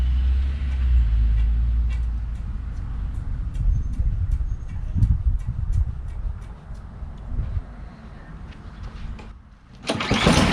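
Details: Snow blower stored in a shed since last winter that would not start, restarted with fuel valve turned on and full choke: low, steady small-engine rumble with light regular ticking, running on its own without stalling; normal running.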